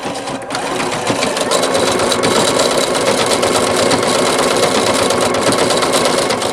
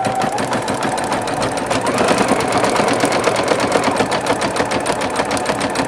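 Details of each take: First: Singer Futura XL 550 sewing machine before the fix, running then sped up: fast, loose chattering rattle from the bobbin area, about three a second; rattle caused by a loose needle plate cover over the bobbin. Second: Singer Futura XL 550 sewing machine after the bobbin-area rattle fix: quick, even needle clatter at steady pace with no bobbin rattle; smooth, healthy stitching.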